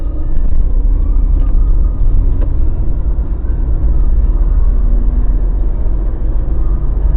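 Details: Mazda BT50 pickup driving after the fix (following earlier drive shaft cross joint and center bearing work): low steady road rumble, no clunks, knocks or grinding; running quiet and sound.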